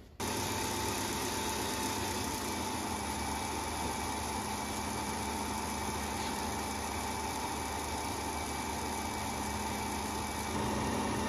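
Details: Three-phase machine shop motor run from a VFD: steady, even hum with a constant faint high whine and no knocks or roughness; the motor runs smoothly.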